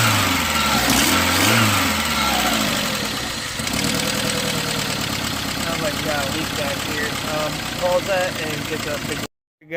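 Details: Dodge Neon SOHC swap, first test start after setting timing and swapping sensors and injectors, coolant temp sensor not yet done. Engine catches and settles into a fairly steady idle with some unevenness, no knocks or ticks; normal idle.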